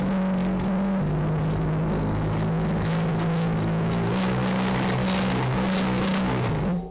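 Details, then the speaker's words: E-bike hub motor with 3D-printed PLA reduction gears (20% infill), wheel installed: rough warbling drone with gritty rattle as the wheel spins; gears making really loud noise. "not cool so these gears making really loud noise"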